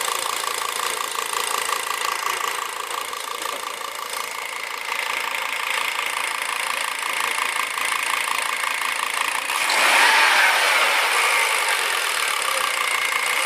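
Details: 1999 Volvo S80 2.0 T5 (B5234T3): a steady idle with an even ticking knock about four times per second that grows louder as revs rise; the cause is unclear.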